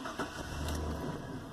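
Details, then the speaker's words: 2000 GMC Sierra 4.8L after repairing a crank-no-start caused by an antifreeze leak at the crank sensor, a broken ground wire and two blown ignition fuses: short crank, then smooth even idle sitting slightly low; normal start. "and there we go. She's got a little bit low of an idle, but you see the gas gauge is still wonky."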